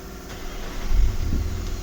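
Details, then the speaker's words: 2017 Nissan Patrol petrol, intermittent no-crank no-start (C1116-00), after replacing stop lamp (brake) switch, started with brake pressed; fires within a second, smooth low idle, no stumble; starts normally. "य check कर सकते हैं अदला गाड़ी start हो गई है"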